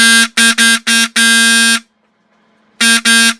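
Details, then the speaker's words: Old rusty vintage VW bus horn restored: several short blasts and one long, each loud, buzzy, steady at same pitch; horn works properly. "gonna back it off a couple i like the better as a lower tone but probably about as good about as good as we're gonna get it was louder as a lower tone too"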